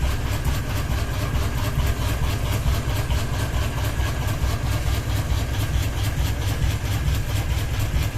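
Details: Ceiling fan running with one blade and a ball hanging off it, steady low whooshing throb about two beats a second from the lopsided rotor; wobble from blade imbalance.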